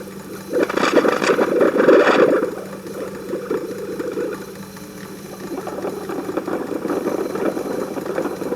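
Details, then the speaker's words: 1940s Peirce Model 55B wire recorder being restored, playing back a wire: rattly knocking about three or four beats a second through the amplifier, the pickup hearing mechanical noise of the stainless wire moving through the head. "so it's hearing it's actually mechanical noise that's this the sound of the stainless wire moving through the"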